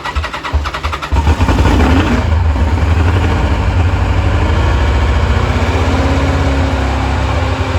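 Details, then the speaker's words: 1986 Kawasaki Concours ZG1000 idling after its carbs were reinstalled. It blows a little smoke and the owner is unsure whether it runs rich or burns oil. Catches after a brief crank, then a steady, even four-cylinder idle with no misses; normal idle. "sitting here idling nicely it's been a long day dark outside"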